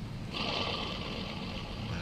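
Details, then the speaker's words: Proton Wira 1.5 alternator removed and hand-spun gives a gritty, whirring rasp fading as it slows; internal bearing worn out, replacement alternator silent. "Kasar kan? Ini bearing dalam ni ya. Bearing dalam dia dah rosak."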